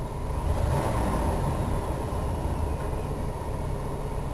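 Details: RV engine running after a carb rebuild plus a new fuel pump, filter and fuel line, watched on tachometer and vacuum gauge. A smooth, even low rumble with no misses while revving, sounding noticeably different from before the fuel pump change.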